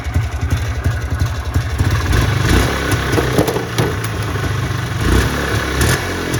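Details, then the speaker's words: Trailblazer 250 two-stroke whose no-start was traced to a bad key switch, now with new key switch: crisp rapid popping settling into a steady run with light blips, no misfire or clatter; healthy. "but this one you turn it on I put the new key switch on this one and it pull starts right right away"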